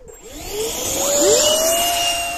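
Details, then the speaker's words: RC flying wing with two independent EDFs, one propelling and one blowing air under it for take-off, powering up: high fan whine climbs steeply with a second tone sweeping across; odd noise, cause unclear. "okay that was interesting did you hear the noise it was making"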